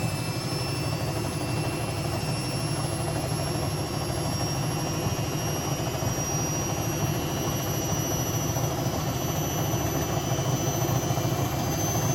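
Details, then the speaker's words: Hotpoint BHWMXL145 washing machine on a test spin. A loud, steady roaring spin with a rough rumbling undertone as the drum runs off-centre. Two drum spider arms are snapped, and the drum is cracked at the back. Bearings were originally blamed, but it is the spider. "I don't think the Bosch was as bad as that when I first got it as early one arm the snapped was clearly this one two arms are snapped"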